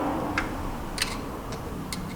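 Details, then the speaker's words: Neglected 1982 Chevy Silverado C10 electric fuel pump switched on with fuel line off, not previously delivering fuel: light even ticks about twice a second; normal fuel pump ticking, pump working. "Hopefully that fuel pump works."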